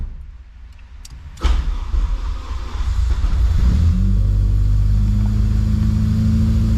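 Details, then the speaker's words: Engine cranks briefly, catches and settles into steady even idle with no knocks or misses after rebuild; belt tension then found too loose. "there it is seems to be running"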